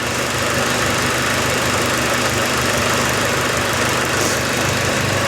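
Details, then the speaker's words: Power steering pump after refilling and bleeding, car back on the ground with a massive leak underneath: engine idling under a steady, rough, strained hiss and whirr; pump labouring, possibly failing or still holding air. "So the car's back on the floor. Is that a failing pump? Is my pump broken?"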